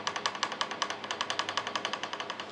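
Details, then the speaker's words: Rattle with a bike loaded in a KUAT Piston Pro X rack: the adjustable wheel lock mechanism shifts laterally inside its hoop, quick bright metal-on-metal clicks; fix is removing two small rear retaining tabs. "however when you do get a bike in there there is a noticeable rattle"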